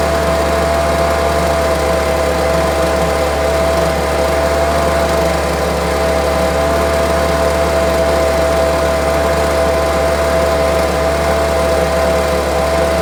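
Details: Homelite UT08572 string trimmer, small two-stroke, tested outside after repairs and a spark check: steady, even high-pitched buzz at constant speed with no stumbles or surging. Owner will check whether an earlier "tink" noise is gone. Normal running.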